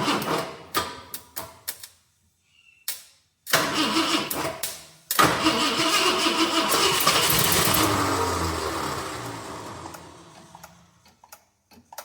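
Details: 1966 Ford Galaxie 500 XL, 390 FE V8, new 4-barrel carb and intake fitted, no starter fluid: several short cranking bursts with pauses, then catches and runs briefly before dying; hard starting, fuel delivery suspect.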